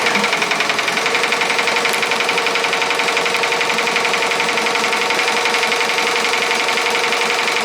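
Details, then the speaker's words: Ricoma MT-1501 embroidery machine fast-forwarding to where it last stopped without dropping the needle: fast even ticking about two per second over a steady mechanical whir, no stumbles; normal trace run. "basically it's going to act like it's spreading but it's not going to drop the needle at all as you can tell right so you're just going to hear the noise because it's going to catch up to where it last stop"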